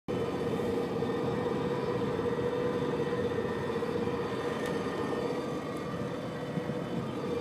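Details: Subaru Liberty cruising above 65 km/h, recorded from left of centre console: steady metallic grinding with droning tone, continuing even coasting in neutral until speed drops to 60 km/h; cause unknown.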